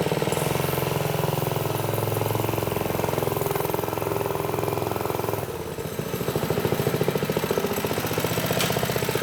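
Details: "Piglet" minibike, Briggs & Stratton single-cylinder after clutch prep, on some choke, idle possibly set a bit high: steady putter holding an even beat through light throttle changes without cutting out; running, still sketchy.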